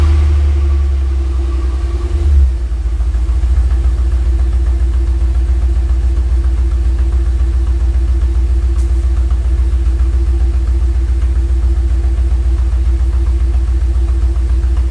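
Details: Studebaker pickup rat rod daily driver, cold start with door open: engine catches and settles into a steady, even low idle with no knocks or misses; normal cold start and idle.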